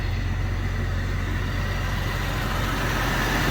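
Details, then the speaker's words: 22-year-old four-wheel-drive Jeep with 165,000 miles idling: a steady, even low rumble with no knocks or ticks. It runs very well, a normal idle. "these things usually have well over 200 000 fire's heard up sounds good no knocks no ticks"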